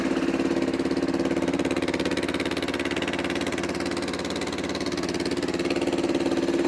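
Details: 1995 Kawasaki Bayou 300 4x4 ATV in neutral, choke on, fuel low: steady even single-cylinder putter at fast choke idle, no knocks or misses; idling healthily.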